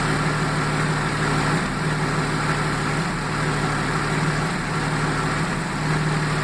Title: Jaguar XJ6 AJ6 X300 -95 engine misfire